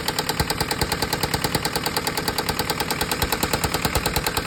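Loud, sharp, evenly spaced knock about two per second over a steady diesel idle; a deep knock, cause not pinned down. Cause suspected, not confirmed.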